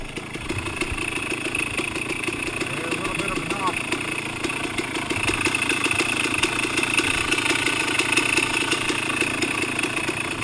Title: 05052018 pleasant valley bottom end strange noise